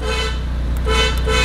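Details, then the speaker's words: Renault Megane with newly fitted Renault Sport steering wheel and button set, engine running: three short honks from a flat, buzzy horn; horn working. "oh i have never used the horn yet what is that"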